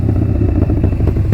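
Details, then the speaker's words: Carbureted V-twin motorcycle with an open primary at idle; it needs work to start reliably every time. A loping potato beat with crisp pulses and no clatter, plus the open primary's shh-shh sound; a healthy idle. "Oh, listen to that. Love it. Listen to the sound of the open primary too. It's got that shh, shh, shh, shh, shh, shh, shh."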